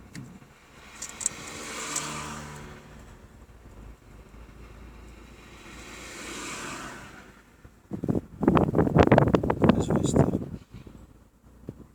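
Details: Fiat Stilo 1.6 at idle, owner suspects ECU problem with cylinder misfires: revs swell and sag slowly about every four seconds; idle hunting and unstable, cause not confirmed.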